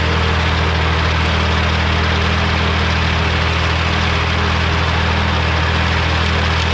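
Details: Morra F25-6 disc mower on a tractor, test run after repair (it had a pod bearing failure the year before and is down again). Steady low drone turning over evenly with no knocking or metal clatter; runs clean.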